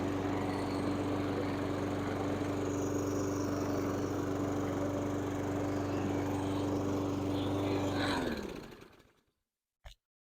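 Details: Stiga Combi 53 SEQ lawnmower after DIY electric-start repair with cheap relay and push button: steady, even engine drone with an unchanging pitch for eight seconds, then winds down cleanly. Runs normally.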